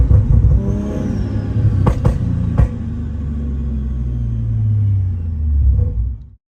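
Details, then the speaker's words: Toyota Supra A90/MKV 3.0 with newly installed 65 OMEGA (T51R) turbo kit, after leak check: deep rumble rising and falling through a few clean revs before shutting off, no rattles; healthy. "so you want to hear what t51r sounds like let's try"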